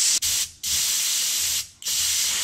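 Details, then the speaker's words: Honda Civic AC not cooling well, manifold gauge hose being purged at Schrader fitting before recharge, garage about 90°F: sharp steady refrigerant hiss in short bursts pushing air out of the line; refrigerant purge hiss. "we're going to shake it up as we purge the line we don't want air in our AC system"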